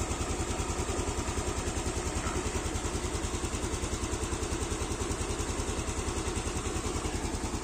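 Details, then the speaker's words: Motorcycle after retightening its manual cam chain tensioner, used over a year, on a stretched cam chain: even, regular idle putter with no ticking or chain rattle; engine sounds normal again. "ini suaranya lagi normal karena beberapa waktu yang lalu udah saya kencangin lagi"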